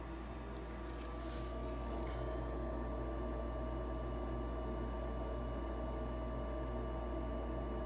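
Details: Rheem gas furnace with recently replaced circuit board, water present, earlier code 26, in heat mode: smooth, constant low rumble and hum from burner and blower on the slower yellow speed, no banging or rattles; heating normally.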